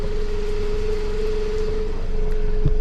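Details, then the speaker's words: Toyota RAV4 with stalling problem: low uneven engine rumble with faint irregular pulsing about three times a second and a steady hum; runs, but not cleanly. "just not good. But either way, it's running."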